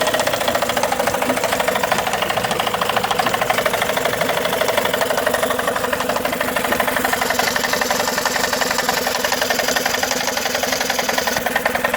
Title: Tohatsu 18hp 2 stroke knocking sound